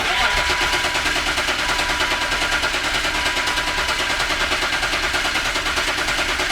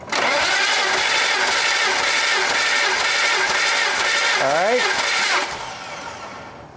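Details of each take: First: BMW E36 M3, unrun for 4 years. Harsh, loud starter churns with an even chug two to three times a second while cranking; the starter itself sounds noisy. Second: BMW E36 M3 with 227,000 miles, unrun for 4 years, cranking with all spark plugs out and fuel pump fuse pulled for a compression test. Steady even cranking about three beats a second for five seconds; first cylinders read about 190.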